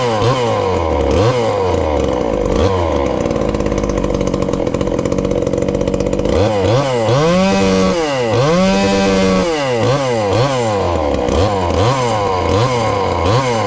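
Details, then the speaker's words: Ported 2375 chainsaw with choke hooked up, still on pump gas before the alcohol goes in: burbly four-stroking idle, then clean blips up and down. Runs fine, a touch rich ("fat and happy"). "oh that's not too bad and she's still fat and happy there but i believe we get that alcohol in it um should turn on up a little bit"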